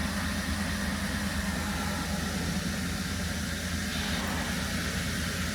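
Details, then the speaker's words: 2017 Holden Commodore SV6 with LFX engine, after an oil, oil filter and spark plug service, idling at about 500 rpm: a low, steady, even hum with no knocks, ticks or misses; normal, healthy idle. "But look, the car's running beautifully. You can't even hear it."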